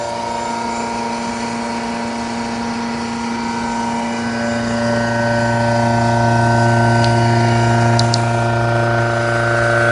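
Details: Machine spinning at 7000 RPM in a retest, giving a loud steady whirring drone with a strong low hum rising slightly in level and heavy vibration; cause unknown.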